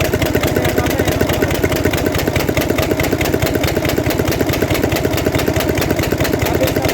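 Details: Mercedes Actros six-cylinder diesel truck at idle: sharp, regular cracking bangs about 94 a minute point to a loose part striking inside cylinder number three.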